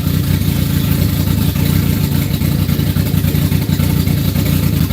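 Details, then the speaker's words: Ice-cold engine on the Max, dropping from post-start into the warm-up enrichment table: rough, lumpy beat with uneven dips and stumbling; warm-up enrichment issues, starts and runs decent but tends to die. "It's got some warm-up enrichment issues. I mean, it starts and runs decent, but it's ice cold right now. Like, ice cold. It'll die."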